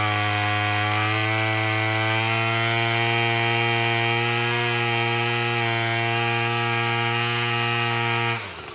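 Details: Murray M2510 two-stroke string trimmer, previously a no-start with broken-off choke lever, now running after a cheap quick fix: steady high buzzing note holding even speed for eight seconds, then cutting off cleanly; running normally.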